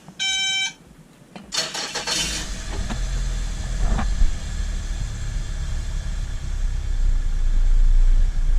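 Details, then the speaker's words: Boat starboard engine after cleaning cylinder 1 and 2 injectors, which previously misfired around 2500–3000 RPM with no load: a few beeps, then cranks, catches and rises into a smooth steady run; runs normally. "it's running smooth. And it sounds the exact same."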